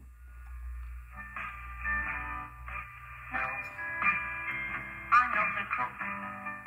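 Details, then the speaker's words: Early-1930s Simplex Model PB battery radio on a 6 V battery with an Arduino solid-state synchronous vibrator, before recapping and replacing out-of-tolerance resistors: plays music cleanly with faint low hum, no buzzing; normal radio playback. "you can hear it is playing so that's a good sign even with the old capacitors and resistors in place"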